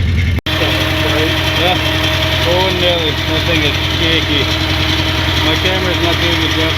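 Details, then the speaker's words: 1990 Nissan 240SX: very high steady idle with an uneven, bogging stumble underneath as a cylinder drops out; first suspected a lost idle air control valve, but traced to a faulty set of injector wires and plugs. "that's idling really high it's idling that high we might have lost the iacv and a spark bug would be as far forward 40 just small gets dumping fuel still you know how definitely sounds like it's bogging here"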